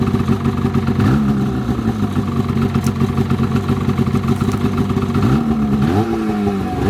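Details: 2007 Polaris 600 HO LX Cleanfire snowmobile, before tear-down, revved on stand: two-stroke buzz runs steady, climbs sharply with each throttle blip and drops back cleanly, no knocking; healthy running.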